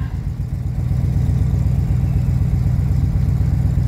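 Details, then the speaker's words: 1975 Chevrolet K20 350 V8, cold start about 22°F after a month and a half sitting, choke on but no high idle set: deep, heavy idle at about four beats a second, slightly uneven and hunting; rough cold idle. "she going though she going poor old Betsy is a little"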